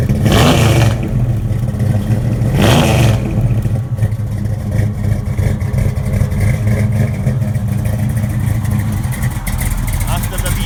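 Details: V8 with Carter competition series AFB carburetors, started after switches: two sharp throttle blips then a lumpy deep idle, no knocks or rattles; healthy.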